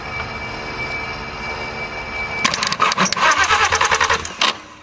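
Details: Totaled VW R32, with a broken connector behind the throttle body: the starter churns in uneven bursts for about two seconds without catching, a crank-no-start; it was later started using spray.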